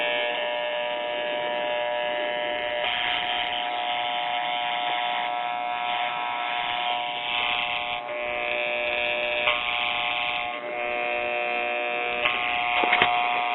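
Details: RCA Victor model 96T4 1939 tube radio, checking the filter capacitor. A harsh, steady buzzing drone with shifting tones and crackles comes from the speaker, no program audio. Failed or open capacitors are indicated.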